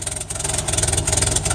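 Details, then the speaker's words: 1961 Land Rover Series II, cold with choke on, running rich, after new muffler fitted: rapid, even puffing tick over a rough idle; exhaust leak where downpipe meets manifold, the next part to repair. "now all you can really hear is the exhaust leak where the downpipe meets the manifold you get that fixed yes that's the next part of the exhaust to do"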